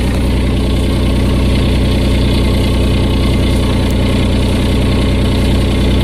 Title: Exhaust leak